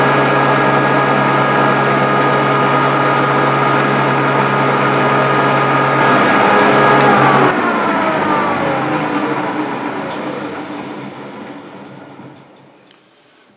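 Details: Grizzly G0458 18in open-arm drum sander, reassembled after breaking down, wood feeding through under load: steady motor hum with even sanding rush, then smooth spin-down; operating normally.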